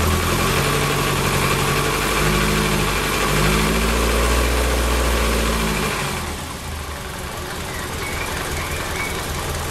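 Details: Lotus Elan, about 500 miles after setup, cold start with fast idle: light metallic rattle over the engine, easing as revs drop; timing chain slack suspected and due for adjustment, not confirmed.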